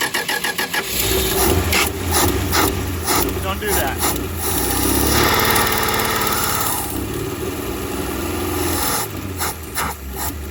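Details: 1962 Dodge Lancer six-cylinder after carburetor overhaul, accelerator pump only trickling, throttle shaft leaking: uneven cranking catches, runs roughly a few seconds with heavy sooty exhaust, then dies; owner suspects heat riser stove stuck shut blocking exhaust.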